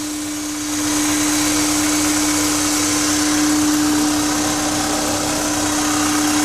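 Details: Honda S2000 with K&N intake: a steady, clear hum at a fixed pitch over the engine's airy rush; owner unsure whether it is normal.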